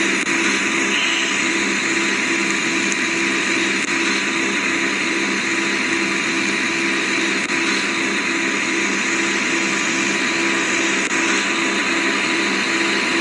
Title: air conditioner noisy